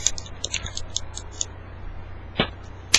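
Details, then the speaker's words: Benchmade Griptilian H2O folding knife: light, crisp metallic ticks with a loose, uneven rhythm as it moves while closed, stopping once the blade is open; owner suspects the spring or some loose part. "once it's open it stops the noise but I don't know why it's making that noise when it's closed I don't know if it's the spring or anything that is is loose"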